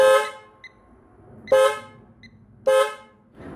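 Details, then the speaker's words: Toyota Camry, horn dead from the button: three loud clear honks when the tester supplies power at the fuse, so everything from the fuse out to the horns works; horn switch and clock spring next. "so this means that everything from the fuse out to the horns is working"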